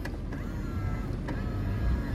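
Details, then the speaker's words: Nissan Primera P12 with diesel engine, inspected before dismantling: right power mirror folds and unfolds quickly and adjusts; short, faint, even electric whir with soft clicks at start and stop, motor running smoothly without binding. "зеркал складывается раскладывается быстренько регулировка правая"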